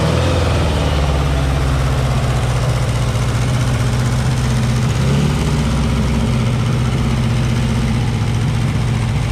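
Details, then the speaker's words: Green Porsche 914 with a newly installed 2-liter motor: low, even four-cylinder idle with a slight blip, running smoothly. Idle may need bumping up; could be idle or timing. "could be idle could be timing who knows sounded a lot better that time though"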